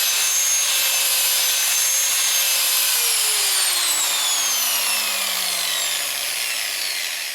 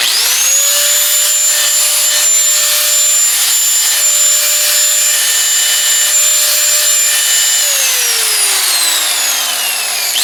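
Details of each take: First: Porter Cable PC60TPAG angle grinder, about 7 years old, running before brush replacement: a high motor whine that wavers and sags in pitch and never reaches full speed, worse when grinding; worn carbon brushes. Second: Porter Cable PC60TPAG 6-amp angle grinder, about 7 years old with many hours, after brush replacement; clean, steady high whine holding pitch, winds down smoothly and spins back up, much better than before, normal healthy running.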